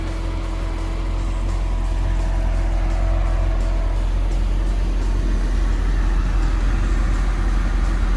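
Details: C7 Corvette V8 after head gasket replacement and misfire fix, with both bank O2 sensors working again and bank one fuel trim near zero (−1). A deep, even rumble holds steady with no stumble or miss under background music; the engine runs clean.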